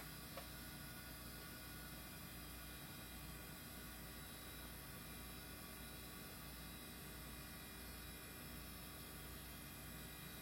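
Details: Old IDE hard drive; quiet steady spin-up hum with faint even whine, no clicks or scraping; running fine.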